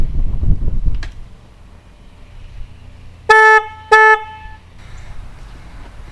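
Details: Harley Night Rod Special's original stock horn, before the Wolo Big Bad air horn install: two short, steady, buzzy blasts of about half a second each, outdoors. The horn sounds strong and healthy.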